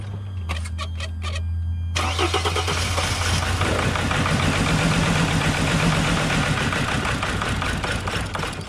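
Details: T1N Mercedes Sprinter diesel that would not start: cranks a few strokes, catches and idles unevenly, sagging as if about to quit until throttle is blipped; rough idle near stalling, suspected injectors not opening or turbo vanes stuck open, not confirmed.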